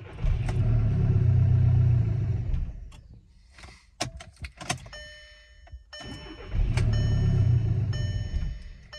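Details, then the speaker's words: 2012 VW Golf SportWagen CJAA TDI, DSG, 262,000 on original timing belt, good rail pressure: two bursts of cranking that catch and miss but never run; suspected exhaust restriction from failed turbo, like a similar car that ran with top pipe off. No start. "okay so that's extremely similar to that last car um because before it would it was like identical it would kind of catch and miss and not quite run"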